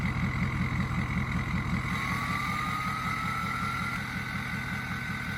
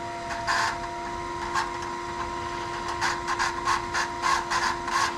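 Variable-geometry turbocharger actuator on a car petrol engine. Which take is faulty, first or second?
second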